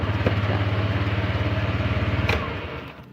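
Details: 2018 Honda Vario 125 eSP with remote alarm fitted, started after unlocking: starter whirs briefly, then the engine catches and settles into an even low idle; normal start.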